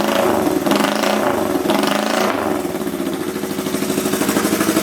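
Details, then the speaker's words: Old motorcycle (Kawasaki KZ400 or Honda CL350) revived after sitting, fires up immediately: a few throttle blips, then a fairly even, slightly lumpy idle; running normally. "That is awesome. I can't believe it. Immediately fired up. Incredible."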